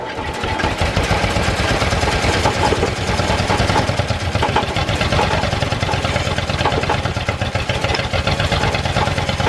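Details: Old Ford flathead V8 farm irrigation pump, fuel pump bowl cleaned and new gasket, carburetor left unopened, cranked: fast, rough, uneven labouring chuffing through the open exhaust; fires but will not keep running, starter gear possibly hanging up.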